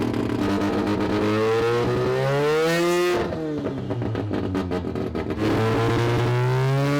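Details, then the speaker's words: Semi-peripheral-port 2-rotor rotary in a Corvette on Haltech ECU, cooling fan set to prevent reaching full operating temperature; revving hard, the rising wavering note stutters and drops out briefly, engine breaking up and pulsing under load, cause unconfirmed. "I felt one of those pulses when it was revving really hard."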